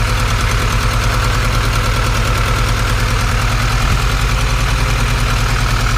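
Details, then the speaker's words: Supercharged Honda Integra at idle on first start: uneven idle with a lumpy stumbling beat about three per second, a misfire later traced to two spark plug wires swapped. "Oh all right well looks like we had a misfire I do not know why"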